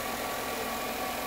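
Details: 2007-2014 GM 5.3L Vortec V8 (Chevy Suburban), cold start, full of 10W-30 oil, gauge reading near-zero oil pressure after new sensor and screen: smooth, even idle with no knock or tick; owner suspects clogged or gunked passage rather than oil pump.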